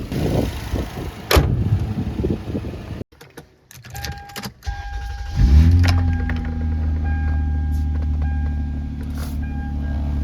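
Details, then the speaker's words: 2000 Toyota Avalon XLS, 3.0L 1MZ-FE V6, started after the P0441/P0446 fix (PCV valve and VSV replaced, MAF sensor cleaned). A short crank, then it catches at once into a steady, even idle. It starts easily, with no check engine light and no rpm jumping. "Starts right away, starts very easy, no check engine, RPM is not jumping."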